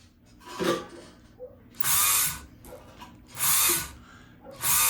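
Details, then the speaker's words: Kenmore 158.523 sewing machine: the motor whirs up in short bursts on the pedal but the mechanism does not turn, because the pulley is slipping on the motor shaft from a loose set screw; the stop-motion clutch was already tightened. "So, we hear We hear the motor running, right? But nothing's happening."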